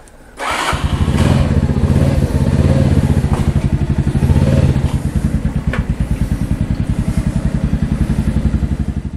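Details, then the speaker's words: Mash Fifty 50 cc with a new replacement Lifan engine running after the swap and gear check: quick, even putt-putt pulses at a steady low pitch with no knocks or rattles from the small single. Normal running. "That's first gear, second, third. Okay, that's all right, and it feels good."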